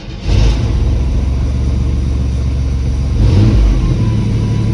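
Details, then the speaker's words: Cold start on a half-ton pickup: it catches quickly, blips, then settles into a steady, even low idle with no knocks or misses; sounds better than before, a healthy cold start. "okay let's do a cold start and see if Betty's still mad or she's all happy"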